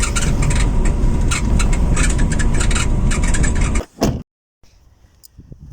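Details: Tailgate (fifth door) squeak while driving on a Toyota Funcargo: repeated creaks and ticks over heavy road rumble; rear hatch very loud, rubber top stopper at the upper door not seating properly; taping with cloth didn't help.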